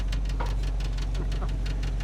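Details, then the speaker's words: 1963 Chevy pickup V8 with a new carburetor, water pump, radiator and hoses, hot after a few laps. It holds a fast, steady idle with a light tick and won't drop back down; something is suspected hung up. "but I I can't get it to idle down it should be it should cick down kick down a little bit so I think there's something hung up in there"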